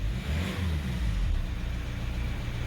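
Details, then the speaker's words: 2015 Hyundai i30 diesel with an electric fuel lift pump and an engine-cutting-off problem, after restarting: picks up cleanly and settles to a steady, even idle around 850–900 rpm with no misfire or hesitation. "absolutely banging look at the revs absolutely on bang on just say 850 900"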